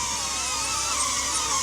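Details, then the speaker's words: DJI Avata 2 drone on newly fitted Master Airscrew propellers, hovering in light wind: a high, steady whine with wavering whistle tones; owner unsure of the cause, not confirmed. "I don't know if you hear it, like a whistling sound. It is a little windy."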